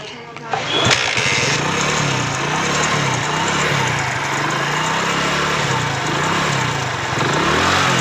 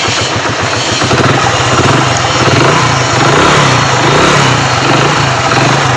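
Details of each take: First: Hero Splendor Pro motorcycle at idle: engine catches and settles into a slightly wavering idle with a faint rattle from the magneto side, later traced to a broken magneto plate; ridden despite the noise. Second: Hero Splendor Pro after repairing a broken magneto-side plate: single cylinder settles into a steady, even idle with no knocks or rattles; sounds healthy.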